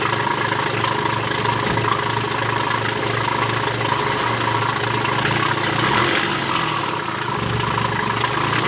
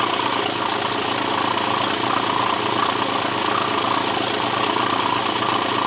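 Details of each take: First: BMW with a low oil pressure warning problem, with the crankshaft pulley, drive belt, intake pipe, airbox and mass airflow sensor refitted: engine catches and settles into a steady, even idle with a constant low hum and no knocks or belt noise. Running normally. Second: BMW being repaired for a low oil pressure warning, run with the crankshaft pulley, drive belt and intake pipe off: steady but slightly lumpy, uneven idle with hiss. It sounds funky, possibly from the missing parts; no oil pressure warning on the dash.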